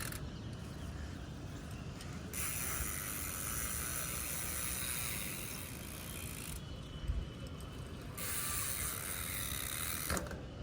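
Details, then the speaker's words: Bicycle (Dartmoor MTB) with hydraulic disc brakes, after heating the rotor to fix squealing and weak braking: quick freewheel clicks while rolling, clean brake stops without squeal or grinding; normal rolling and braking. "Because almost हमारा break अच्छी तरीके से चल गया है काफी तगड़ा मजा आ रहा है"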